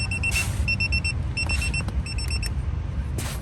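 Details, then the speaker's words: Jansite external TPMS: the right front valve-cap sensor is unscrewed and screwed back on, giving quick bursts of high beeps over a low rumble. The display is confirming a new sensor reading. "Here we go, just unscrew it, and you hear the beeping, and screw it back in."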